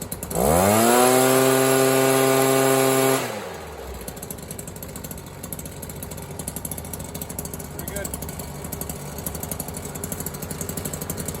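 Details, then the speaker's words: Stihl BR400 backpack blower two-stroke after sitting for years, carb cleaned and rebuilt, fresh gas, compression about 145-150 psi; screams at high revs a few seconds, then settles to a steady, even idle without stumbling; normal running. "Idles well. I'm pretty happy with that."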